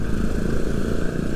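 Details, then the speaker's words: Vespa LX 150 i-get (2026, 150 cc, up from 125 cc) pulling away from standstill: steady drone rising smoothly on light throttle with no shudder; revs sit somewhat high and the initial pull feels quicker. Normal pull-away. "Jadi ee saat berangkat gitu tadi dari diam gitu enggak ada gerok sama sekali dan dia RPM-nya memang agak tinggi ya [berdehem] sekarang ya ee apa namanya pada saat dipelintir dia jalan tuh RPM-nya agak tinggi terus motornya jadi terasa lebih laju ya pada saat tarikan awal ya"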